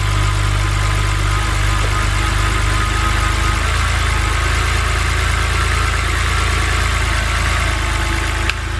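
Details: BMW N52 inline-six, first start after valve cover and Valvetronic motor gasket replacement: steady, even idle with a smooth low hum and no knocks or misses; a little smoke from oil drips on the exhaust. Normal idle.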